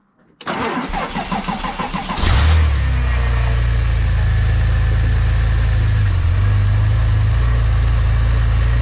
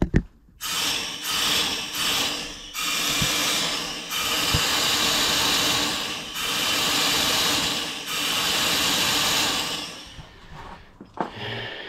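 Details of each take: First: Porsche 996 Turbo, 3.0L flat-six biturbo, on stands after a fix for an unstable idle linked to an air-leak noise: cranks briefly, flares, then settles into an even, steady low idle; running normally. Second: Porsche 996 Turbo twin-turbo flat-six with an unstable idle: steady bursts of sharp hissing as the intake is pressurised with a tire gauge pump, revealing an air leak behind a hard-to-reach part.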